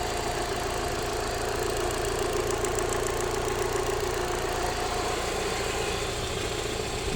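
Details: Alfa Romeo 156 1.6 TS petrol engine at idle: a light, fast ticking over the steady running, heard from the upper engine bay; source unknown.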